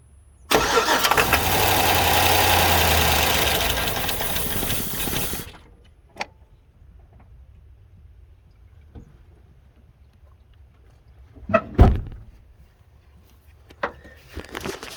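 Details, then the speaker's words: 2006 Chevrolet 5.3L LS engine from a GMC Sierra truck that would not run; the owner suspects old gas. A shot of starting fluid makes it catch and roar unevenly for about five seconds, then it cuts out to silence, suggesting fuel delivery. "Ew, got a couple seconds out of it. Okay. Just like I knew it, it does run."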